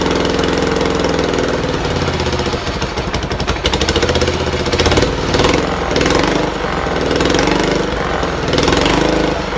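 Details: Buell Blast single-cylinder running after a shot of starting fluid through a drilled intake hole, auto enricher not working: steady even beat, smooth idle without stumbles or misses; runs cleanly.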